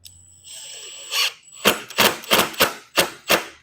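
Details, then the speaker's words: Makita 18V cordless impact driver driving a screw into wood; sharp rapid hammering bursts, about three per second, as it ratchets and drives the screw flush. Normal impact driver operation. "and you hear how it ratchets. That sound it's making is it ratcheting."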